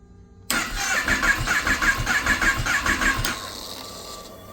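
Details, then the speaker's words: 2018 Kawasaki ZX10-R being rebuilt after a total loss, with a little fuel added: starter cranks in even pulses but engine never fires, with a thin steady whine of unknown source. "but so that sounds bad obviously but you can hear that whining noise not 100% sure where it's coming from yet but somewhere up here there's that whining noise and then when I try to start it"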